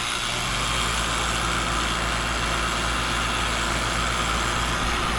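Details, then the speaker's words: AC unit with an Alliance scroll compressor, started after about 6.5 lb of refrigerant was added. Loud, harsh roar with a rough rattle; earlier the scroll plate was suspected. It then cools with a 20-degree temperature split. "it's loud and nasty."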